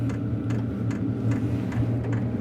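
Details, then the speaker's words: Wippro 8kW diesel heater running normally in a shop bus, recorded with a sensitive external microphone: crisp fuel pump ticks, about two per second, over a low steady hum, likely louder on the recording than in person. "so the clicking you're hearing is the uh fuel pump um I'm sure it probably sounds louder on camera than it actually is"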